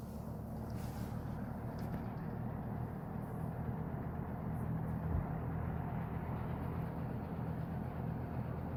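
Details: GE W-25 electric fan, reassembled with its plastic blade after maintenance and a new cord: a steady low whooshing drone with an even tone and no rattles or scraping. The fan runs smoothly.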